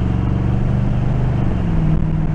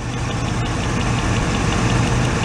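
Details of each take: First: 1986 Oldsmobile Cutlass Supreme V8 on a road test, air cleaner refitted: deep, steady note pulling evenly under load, exhaust only occasionally fluttering; normal running under load, no miss now. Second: 1986 Oldsmobile Cutlass Supreme, revived after sitting five years, idling while each plug wire is grounded with a test light: uneven lumpy idle with irregular stumble; grounding number three makes no difference, so that cylinder is the suspect.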